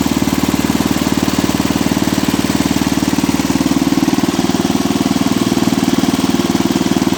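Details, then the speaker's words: Cub Cadet 86 small engine idling 10 to 15 minutes with the starter generator belt disconnected: steady even thumping, no squeal or rattle; owner thinks the earlier noise came from the starter generator bushings or bearings. "it's been running for I don't know 10 or 15 minutes or so with the starter generator belt disconnected and it hasn't made that sound again since"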